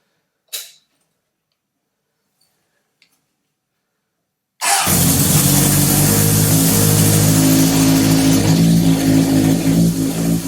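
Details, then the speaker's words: 1978 Honda CB750 four-cylinder engine on a stand with carbs, likely first run in over ten years, after idle adjustment: catches and settles into a steady, even idle with no misses; all four exhaust pipes hot, all cylinders firing. "so that means all four cylinders were firing as well so we got this engine running for maybe the first time in decades"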